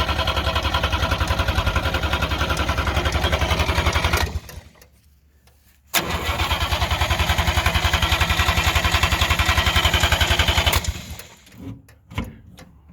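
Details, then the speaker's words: 1958 DKW pickup, front-wheel-drive three-cylinder two-stroke (oil mixed in the gas), first start after sitting a long while: steady starter cranking around four turns a second with no firing; plenty of gas found in tank, no-start suspected from fuel starvation. "hear any fire yet I wonder if there's any gas well we're going to check the petrol there's lots of gas there"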